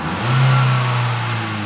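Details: 2012 Nissan Livina manual, after a 500 ml combustion-chamber carbon-cleaning tune-up done with the engine running (previously unstable rpm, rough sound): a quick rev rises and falls evenly with a clean, steady note, no stumble; normal revving.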